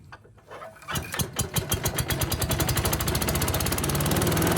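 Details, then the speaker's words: Yard Machines chipper with Tecumseh engine, pulled from the trash, fresh oil after water contamination, recoil missing: started first pull, catches after a few slow pulses then a fast, even single-cylinder beat at high and low speed; loud but running well. "that thing's loud but it's running well now so no problem started first pull runs at high speed and low speed"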